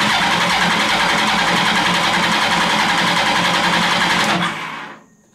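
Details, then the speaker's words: Mini trophy truck build with motorcycle engine, compression test at wide-open throttle: even cranking about three and a half pulses a second, no weak strokes; cylinders read about 180, compression healthy. "open 180 that's good that is a good sign 180 that is good"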